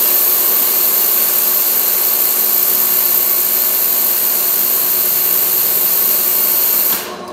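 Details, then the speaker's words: Hengli HSA1505 belt furnace ultrasonic cleaner for the bottom of the belt: steady high hiss with thin whine over fan noise, running evenly then cutting off; ultrasonic wash tank running normally. "And the ultrasonic cleaner is for the bottom of the belt."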